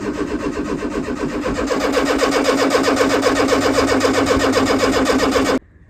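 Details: 1995 Fiat Tipo 1.6 SX non-runner with aftermarket Gemini alarm/immobiliser, after rewiring it: steady cranking about four beats a second, no firing, then stops; fuel pump found getting no power, immobiliser thought not at fault.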